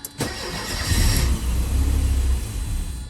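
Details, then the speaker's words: Mercedes 190E (W201) that won't start, given a squirt of starting fluid: cranks, catches sharply and runs rough for a few seconds, then fades; fuel suspected not to be reaching the injectors, exact cause still unknown. "See, it sounds good when it wants to. Yeah, that sounds good."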